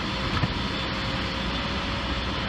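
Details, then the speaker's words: 2014 Subaru Forester 2.5L boxer at about 68,000 miles, idling just after new spark plugs (likely its first change) to cure a rough idle at stops. It now gives a steady, even idle hum with no stumbles, so the issue is fixed. "it's not not doing a rough idle or anything right now. So, I think uh we fixed the issue."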